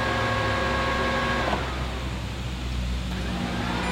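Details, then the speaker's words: Nissan Juke after replacing the in-tank low-pressure fuel pump: each key-on gives a steady low electric hum of about a second and a half that cuts off cleanly, a normal prime. This is done a couple of times before starting. "So we're going to prime the pump a couple times, and the way you do that is actually turn the key on, and off. Every time it switches on, it turns the fuel pump on."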